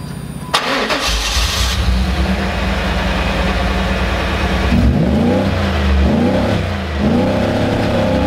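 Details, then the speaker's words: 1994 Pontiac Trans Am with power loss, muffler ruled out: revs swell then sag back, reaching 4000 rpm briefly, falling to 3000 and unable to exceed 3000; plugged catalytic converter found as cause. "I initially did get to 4000 RPMs but you could hear it probably um very loudly back here that it rapidly worked its way back down to 3000 and then I couldn't rev it over three thousand"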